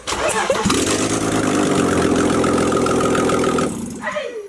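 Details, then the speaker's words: Rebuilt BMW E46 with E90 six-speed gearbox, first startup after rebuild: engine catches quickly and settles into a smooth, even idle with no knocks or rattles before shutting off; sounds healthy. "She's awake. She's awake, I'm sure. Yeah. Can you hear it from that side? It sounds sweet."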